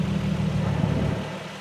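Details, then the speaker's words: 2008 Nissan 350Z with a JWT HD clutch, Zspeed HD slave, Wilwood HD master and new OEM dual-mass flywheel, camera outside pointed down near the bellhousing at idle: pedal pressed and released, faint throwout bearing hum, no judder. Normal clutch engagement. "it is so much quieter than it was stock of course you can still hear the uh the throwout bearing and when the clutch is disengaged or it's actually engaged"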